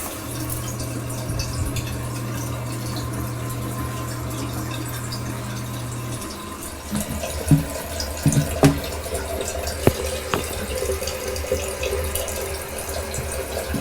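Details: Toilet fill valve refilling after installing a water hammer arrestor: steady water flow with low hum and light clicks, no bang or pipe shudder at shutoff; water hammer fixed.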